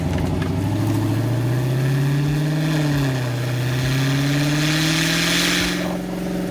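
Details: Dodge Challenger SRT Demon 170 V8 under heavy acceleration: deep roar building with revs with an airy whistle rising on top from the rear; dealership engineer called it normal, owner disagrees and a check engine light appeared during test pulls; cause unconfirmed.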